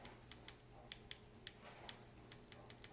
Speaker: now we can see it's working pretty well one thing i don't like is it's occasionally getting stuck down